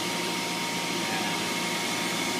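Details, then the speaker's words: Hayward H350FDN gas pool heater after heat exchanger repair, set to 90°: pressure switch clicks, inducer fan runs, gas valve opens and it fires with a steady even roar and faint hum; normal burner operation, no leaks. "I can hear the pressure switch is clicking our inducer fan motor is running after it charges we'll have the gas valve will open"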